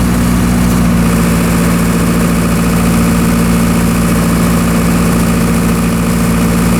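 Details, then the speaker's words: Military surplus diesel generator set, revived after years of storage, under significant overload: steady even drone and firm low hum without sagging or hunting, little droop and no spurious trips; normal running under load. "all right everything seems to be operating properly as you saw in the video the generator was able to handle a fairly significant overload without too much droop"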